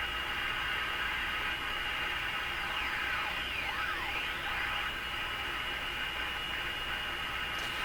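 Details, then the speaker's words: Radio during IF alignment with a BK 3030 sweep generator signal near 455 kHz, on restricted power (about 105 V). Steady hiss with thin whistling heterodyne tones that sweep as the dial moves, instead of the expected AVC quieting; cause not yet traced. "What I'm hearing are all kinds of heterodyne tones and whistles as I tune through it."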